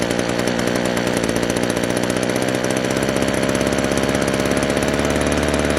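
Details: Echo PB-200 two-stroke leaf blower, found abandoned roadside, after cheap fix (carburetor line and bracket refitted): small engine buzzes at fast, steady, even beat, no stumbling or surging; running clean and healthy.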